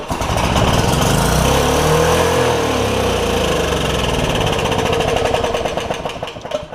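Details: Porter Cable generator, Briggs OHV engine, first start after replacing a bent intake pushrod (owner suspects the valve was too loose); flares up and stays screaming at high, uneven revs, throttle stuck wide open — overspeed from a bent governor spring tab.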